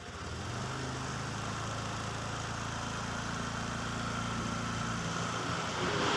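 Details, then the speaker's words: Honda Vario 125 FI after piston replacement, rebuilt engine: even, steady low putter at a constant pace with no knocks or rattles, rising slightly at the end; runs smoothly, no longer smoking, piston noise gone. "Hai sekarang Coba langsung kita Ipin lagi hai hai the best sekarang untuk karena sudah ringan untuk kondisi suara sudah halus ya karena ini Krisna sudah baru sama kampret sudah baru dan juga sudah tidak berasap"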